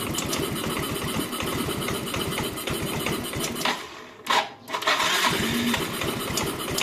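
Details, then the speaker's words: Yamaha Mio M3 125 scooter that previously would not hold idle, stalling or hunting, tested on initial settings with the engine breather hose refitted; steady, even putter at idle with no hunting or stalling. "kelihatannya ini bisa langsam dengan normal nanti kita lihat di scannya"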